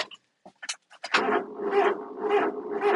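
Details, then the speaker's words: Honda truck with 20,622 miles, just shipped from Asia: clicks, then a sluggish crank with about two labored swells per second that never fires; slow cranking from a weak, discharged battery. "Come on. Nope. Not enough battery power. That is because it just came from Asia through the Panama Canal."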